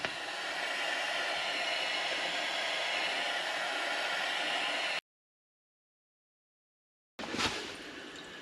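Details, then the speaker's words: Bath tap cold supply running with the door shut, after replacing the faulty incoming mains pressure reducing valve and bleeding air from the system: only a soft, even water rush, then near silence, with no hum, squeal or hammering. Normal quiet operation. "There we go. Silence. There's very, very slight noise, but when there's but when there's obviously closing here and the door's shut, you're not going to hear that at all. It's that faint."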